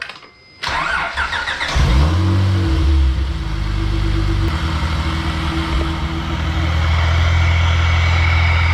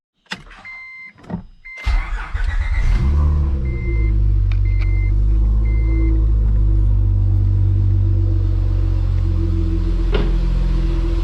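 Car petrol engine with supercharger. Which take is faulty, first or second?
first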